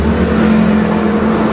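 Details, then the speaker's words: Honda Beat DX 2020-2021 scooter CVT after repair and reassembly with rollers and V-belt fitted, rear wheel spun: smooth even whirr and steady hum with no crackle or grinding, only normal bearing sound. Normal CVT running. "Untuk putaran sudah halus ya. Ini bunyi wajar, bunyinya laher dan juga laher bambunya. Yang penting sudah tidak seperti kretek-kretek ya teman-teman."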